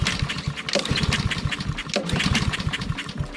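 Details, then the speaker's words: Honda walk-behind lawn mower, roadside find, fresh fuel, air filter removed: irregular pull-cord cranking chuffs with no catch or firing; air ruled out; no-start. "Still nothing. Doesn't appear to be a problem with air."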